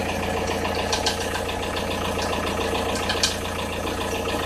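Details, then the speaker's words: Audi A6 C4 1.9 TDI diesel at cold idle, only at 0–5 °C outside, light uneven tapping near the timing belt area, disappears as engine warms; tensioner rollers fine, source unidentified. "Непонятный звук мотора, неравномерное постукивание."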